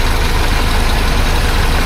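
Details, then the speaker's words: 1976 BMW 2002 with a Weber carburetor, warming up at idle during carb tuning: steady idle with a light, regular tick over the rumble, from up front. Owner suspects the air pump; not confirmed. "I don't know what that noise is up here. Something's ticking and tacking."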